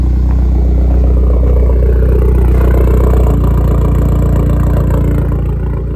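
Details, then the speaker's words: VW Tiguan idling after an aftermarket remote start install, started remotely with the brake untouched. Steady, even low idle with a smooth regular pulse and no knocks or misses. Normal idle. "open our door get in cars running if I touch the brake it's gonna kill it"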